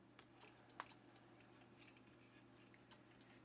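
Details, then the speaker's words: Dell Latitude C800 laptop (850 MHz CPU) just after power-on, drive thought to be an IBM Travelstar: faint irregular light ticks over a low steady hum; normal hard drive head-seek ticking. "that sounds like an ibm travel star hard drive"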